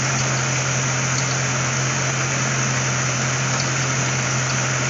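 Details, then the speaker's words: C4 Corvette A/C converted from R12 to R134a, charged with liquid refrigerant, engine running: constant loud hum with steady low tone and hiss, no cycling; compressor runs but won't pull pressure down, owner suspects compressor bad or leak. "compression is running and it ain't pulling it down well folks by the sounds of that compressor by the fact that it's not pulling on the pron I'm saying that that compressor might be no"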